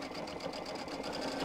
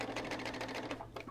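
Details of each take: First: Sewing machine doing embroidery or applique on minky plush fabric after its bobbin case problem was sorted; a quick, even stitching rhythm of around four stitches a second with the earlier squeaking gone, stopping cleanly; normal running. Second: Sewing machine on generic stitch stitching minky plush fabric: quick even stitching about seven beats a second, then stumbles and stalls, really stuck; jamming because no bobbin was fitted.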